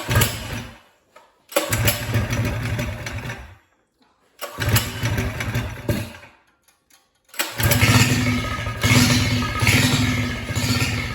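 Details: Trail bike with a Harbor Freight 212cc four-stroke swap, choke on, after refitting a valve cap that had fallen down the pushrod hole; fires in rough bursts, cuts out twice, then settles into a steady, even run.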